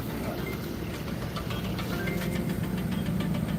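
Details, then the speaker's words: 2014 Ford Fusion at a police vehicle auction, about 114,000 miles, bought for a thousand: steady, even idle with a smooth low hum, no knocks or misses; running and sounding good. Normal idle. "it is running sounds good this is a 2014 Ford Fusion"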